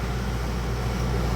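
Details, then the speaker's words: Dometic rooftop air conditioner on a likely 2009 camper trailer, a sealed R22 system, after recharging a low charge with one tank, at about 40 PSI: steady, even compressor and fan hum with no knocks, rattles or surging; running normally and cooling. "I actually hear the refrigerant running through the coil right now. probably doesn't grab it on the mic here, but it's nice and cold."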